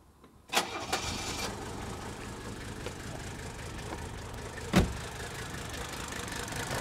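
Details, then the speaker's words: Old Mercedes-Benz diesel, after replacing an injector and restarting: cranks, catches, settles into a clattery idle with an uneven beat as one cylinder keeps dropping out; persistent miss, slightly improved but not cured. "Okay, we still got a miss right there. You can hear it."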